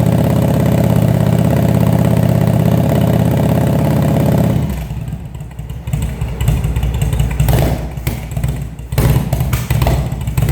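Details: Engine first start after carburetor rebuild, fed from remote fuel bag; steady even four-cylinder running for several seconds, then throttle blips that rise and fall cleanly; carbs working properly, normal running.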